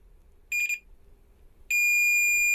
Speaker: एक बीप की आवाज़ आ रही है। आप इसे सुन सकते हैं। और अगर मैं इसे गेट के दूसरी तरफ रख दूं , तब भी यह बीप की आवाज करता है। यानी कि इसमें शॉर्ट सर्किट हुआ है।